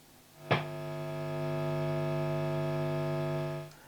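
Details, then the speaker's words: 1976 Marshall JMP 2100 combo valve amp with original Celestion G12M speakers, after replacing bias and main capacitors, bias about 37.4–37.5: low steady mains hum at switch-on, even; normal quiet idle, channel 2 working. "Yeah, there it is running. We've even got channel 2."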